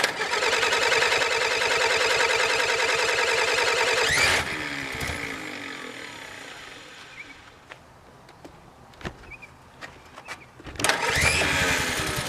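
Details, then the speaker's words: Willys Jeep after reinstalling rebuilt carburetor with better fuel filters, choke working: cranks and catches, fast busy idle for a few seconds, then settles and blips; normal start and idle. "well let's uh fire it up and see if we need to make any adjustments"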